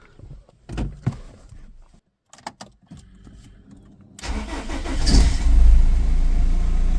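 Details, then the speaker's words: BMW E46 M47 110kW diesel after MAP sensor replacement, which had caused a total loss of boost, plus new injectors: a few clicks, then it catches at once and runs firm and steady with the turbo audible; starts cleanly, boost problem fixed. "Starts with no problems. Let's see what happens. Oh, I can definitely hear the turbo."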